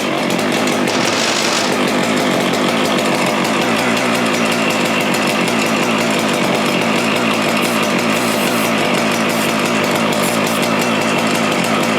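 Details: Husqvarna 575XP (early 576XP) two-stroke chainsaw after replacing failed bearing and integral seal with a radial seal, cover and air filter fitted: steady crisp high buzz, no surging or rattles; running smooth and healthy.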